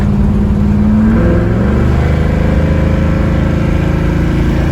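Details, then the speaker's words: 1967 Mustang fastback (Shelby GT500 style) V8 after valve lash correction (driver side had lash, passenger side zero): strong smooth pull, pitch rising evenly with throttle, no misses; sounds healthy, not yet test driven. "I really don't know but I know she sounds healthy now and uh it needs to be test drove to see if it runs is healthy as it sounds"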